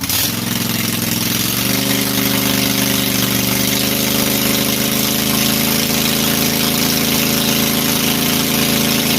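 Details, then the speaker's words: Briggs & Stratton Intek 18.5 hp V-twin after reviving it, with fuel solenoid bypassed and governor set: catches within a second, then a steady, even idle with constant low pulse, no knocks or misses. "i would say that that should do pretty good and we'll call that a win"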